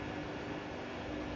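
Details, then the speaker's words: Bosch Serie 4 WAN28001 washing machine on test wash: spin after the wash, water pumped out, load warm, heated to about 40°C; steady even whir with faint hum, no knocking or scraping, normal spin. Machine was discarded with no apparent fault. "seems fine, everything sounds good. Yeah, strange."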